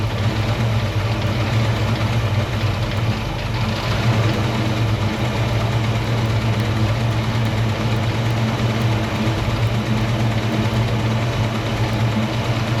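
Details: 1968 Ford Mustang 302 V8 after installing Pertronix Flame Thrower distributor and coil and Moroso plug wires, timing close to previous: settles into a steady, even low rumble with no misses, ticks or knocks; healthy idle.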